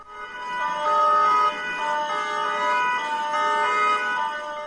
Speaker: when the alarm is activated you should hear a combination of siren sounds from the church and narfix you will hear a wailing siren like this